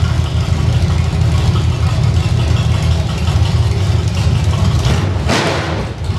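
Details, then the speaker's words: Squarebody engine pulled from Creampuff, first fire-up on a test stand with open headers, no load and no water pump belt, on fuel left in the carb: deep, steady rumble at idle, no knocks or misses, snappy. "And being open headers and no load on it, this motor sounds way better than it ever did. That's awesome. Pretty snappy."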